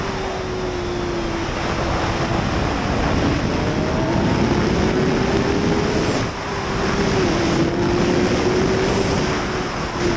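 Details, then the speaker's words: 2005 Suzuki GSX-R 750 riding after transmission repair replacing worn sixth gear parts: steady engine note rising through the gears under heavy wind rush, pulling cleanly with no slip or surge; normal running under acceleration. "no more sleeping in sixth gear she rips still gotta be patient but so far so good"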